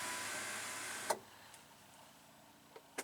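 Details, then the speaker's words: Chrysler PT Cruiser sunroof that will not open: button pressed, short free electric whir of the working motor then clicks, nothing moves; the drive rod on each side is disconnected. "but nothing happens. And this little rod here, there's one on each side, it is not connected to anything, and I think this is the reason why it's not moving."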